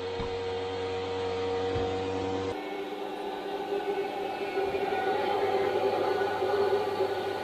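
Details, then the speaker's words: Eberspächer Schwingfeuer pulse-jet heater on a Unimog 404 radio truck running after a little fuel, with a loud, steady droning roar and fast pulsing buzz. It gets slightly quieter once lit and blows hot air; normal, clean running. "And as you can hear, now suddenly it's a bit quieter. Little bit. Yep, it's blowing hot air."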